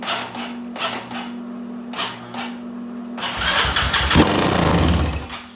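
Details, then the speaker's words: Vehicle on a charger's roughly 250 A jump-start mode: slow, labored cranking in short bursts that never catches; cranks but will not start, owner suspects the battery is junk. "okay all right guys so as you can hear um in that video it's just not gonna do it i'm gonna say that battery is just junk"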